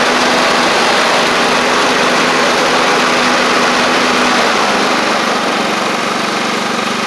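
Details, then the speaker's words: Free John Deere L110 riding mower engine, after refitting a fuel pump, runs steady and even with no stumbling; fuel line area now dry, confirming the old fuel pump was over-pushing fuel and flooding the carburetor. "all right and we're dry around the where I put the fuel line on so it was the fuel pump how about that"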